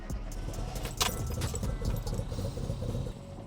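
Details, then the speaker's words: Classic Mini petrol engine after a new battery, possible bad earth fixed: idles steadily with a low even throb, sounding really good, though hesitation returned later. Normal engine idle. "Sounds really good."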